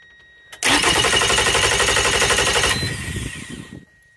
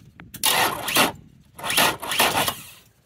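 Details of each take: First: Outboard motor on a two-battery bank wired through a battery switch set to both, after battery-cable and voltage-drop testing: brisk, even cranking about four turns per second, spinning down smoothly; starter now sounds strong, resistance dropped from about 1,800–2,000 to 200–300 ohms. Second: Outboard motor on a two-battery bank with selector switch, cranking sluggishly: two short labored half-second bursts that never fire; voltage-drop testing traces slow starter speed to corroded, high-resistance battery cables rather than battery or starter.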